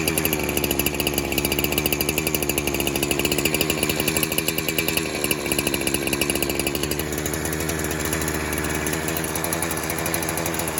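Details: Pulse Warmer 372 clone chainsaw, leaning out as it warms after a cold start: screams at steady high revs, note sags slightly when sprayed, pointing to an air leak at the clutch-side crank seal.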